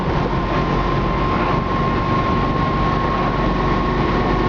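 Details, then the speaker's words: 1968 Camaro SS convertible V8 while driving, transmission lacking a fourth gear, with low gears: smooth constant high-revving drone under road noise, no misfire or knock; engine wound up but running great with plenty of power. "the engine runs great. If you can hear it, it's wound up a little bit with the gears being so low, but you can hear that it's running great. Plenty of power."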